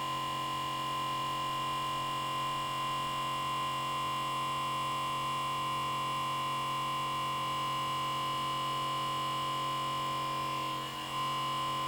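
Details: Comcast Xfinity X1 DVR box: steady, loud hum with whiny midrange tone from its small-diameter left-side cooling fan, which spins up at power-on and runs at high speed constantly, even when the box is off, until unplugged.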